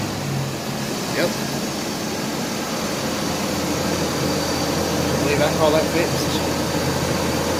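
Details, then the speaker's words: 1993 Chevrolet S10 4.3 auto 2WD just after replacing a worn-out clutch fan with a new Duralast unit: on startup a steady, loud rushing whoosh like a big 18-wheeler over a low engine hum, showing the clutch fan engaging as it should. "now it should sound like a big old 18 wheeler when it fires up that means that the clutch fan is working like supposed to so"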